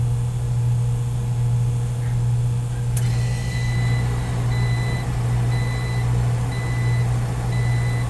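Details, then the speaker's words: Beer-cooler refrigeration unit restarted after shutdown, no frost where the capillary tube enters the evaporator: steady low compressor hum with a faint electronic chirp, restarting without struggle; current is under the roughly 7 A RLA, and the starting components are suspected as the cause. "not seeing any issues it restarted so that's a good sign leading towards maybe it was starting components that caused our issue"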